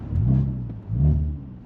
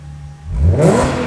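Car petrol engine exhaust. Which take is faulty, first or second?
first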